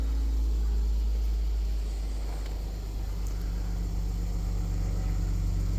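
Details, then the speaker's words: Mercedes GL450 M276 with an intermittent intake cam sensor no-start (P001685), running with both cam sensors unplugged so they default to 33°: engine settles into a low, steady, even idle with no misses or knocks. "And it idles right down."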